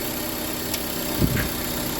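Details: Honda Civic 1.7 VTEC after VTEC solenoid replacement/rebuild, after solenoid energizing test: even low idle, steady beat, no ticking, stumbling or hunting apart from one brief bump; normal idle, no more oil leak.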